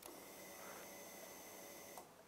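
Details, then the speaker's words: Honda Rancher 420 ATV no-start diagnosis: switch toggled off and on, faint fuel pump prime hum cuts out then whirs back up, confirming the combined ignition/start switch works. "when we've got this thing flipped on and you can hear the fuel pump starting to prime that should also activate and deactivate if i move that switch"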